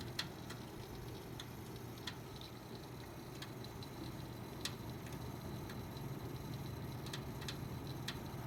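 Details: PC making sharp irregular ticks and crackles, about one or two a second, over a steady fan hum; source unknown; crackling and ticking noise.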